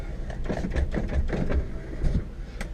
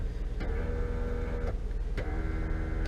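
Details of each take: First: 2000 Honda Accord EX working power window: low, even motor drone as glass travels, no grinding, clicking or binding; this regulator works normally, unlike the other window. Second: 2000 Honda Accord EX door window: two short motor whirs of about a second each with no glass movement; motor works but the window regulator is broken (off-track also considered), regulator replaced.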